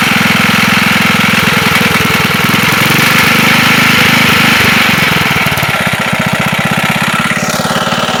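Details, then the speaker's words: Wisconsin single-cylinder engine that sat for a long time and leaks oil and fuel: a loud, regular knock at about 3.5 per second over a rough beat. It is a rod knock, with play suspected in the rod at the crank. "Don't know if you can hear that on the video, but it sounds like there's a slight bit of play in the rod down at the crank, and that would probably be the knocking when it's running."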